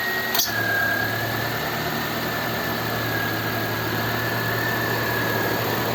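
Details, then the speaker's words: 1997 Nissan Altima after installing a rebuilt MAF sensor (without O-ring seal) for an intermittent lean fuel trim fault: smooth even idle hum with faint steady whistle, no misses or knocks; runs okay, though it ran okay before too. "Sounds like it's running okay, right? But I think it ran okay before."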